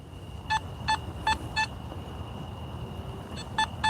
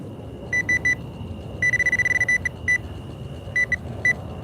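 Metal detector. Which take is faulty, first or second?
first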